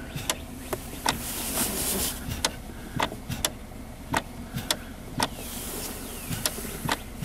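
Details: 2011 Kia Sorento, engine running: sharp, dry plastic clicks about twice a second in the centre console at the gear shifter each time the brake is pressed. The shifter lockout lever is clicking, not the solenoid; fixed with an O-ring on the lever's pivot shaft.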